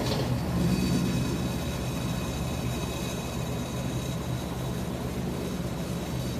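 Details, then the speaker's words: Whirlpool top-load washer WTW4816FW3, bought new July 2023, circuit board already replaced: heavy constant rumbling roar with uneven rattle about three knocks a second, spinning instead of rinsing; owner checks whether metal is loose at back. "It's making new noises too, but still it's spinning. It's not rinsing."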